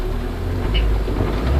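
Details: 1996 Ford Ranger four-cylinder, two plugs per cylinder, timing belt replaced, warm day start after cold: low, steady rumble with an even beat and nothing knocking or ticking on top; smooth, quiet normal idle.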